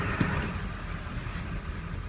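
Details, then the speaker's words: 2001 Ford 7.3 Powerstroke, hard start and rough when cold, just started after an oil change, pedal floored: low, uneven rumble that never climbs, no power to build boost. Several cylinders not contributing from sticking injectors; clears after 5–10 minutes. "I've just got so many cylinder is not contributing it's not going anywhere it doesn't have any power to create boost"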